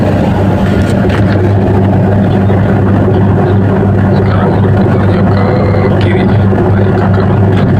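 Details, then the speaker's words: Denpoo twin-tub washing machine that previously only hummed. After the brown wire was moved to the yellow terminal, the wash motor spins with a steady, even low hum and no rattle. The fault was the capacitor, not the motor: normal wash motor running. "Nah, kita putar ya, Teman-teman ya. Artinya ini sangat normal ya."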